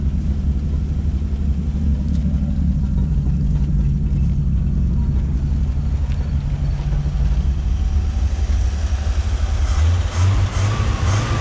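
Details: 1957 Chevrolet whose lifter ticking faded after about five minutes of running: a warm, deep, even low rumble with no top-end ticking; the owner thinks it just needed to run a while. Normal warm idle.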